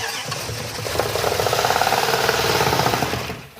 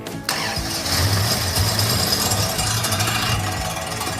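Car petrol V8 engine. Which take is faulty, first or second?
second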